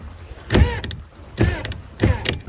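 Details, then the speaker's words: Grady White 236 Fisherman windlass, owner reported slipping: spun up with the anchor all the way up, three short rising whirring bursts as the loose clutch slips; fixed by tightening the clutch with the supplied special tool. "So he was saying that it was slipping. So if we look here, this thing's all the way up right now. If I spin it up, this clutch should slip. I mean, it's loose."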